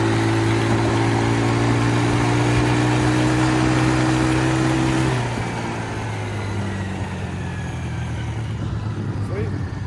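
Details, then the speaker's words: Four-wheeler ATV test ride after fixing it dying under full throttle: strong pull, then drops and settles into an even, regular idle; no dying, back to normal. "Man, this thing's so fast. Yep, back to normal."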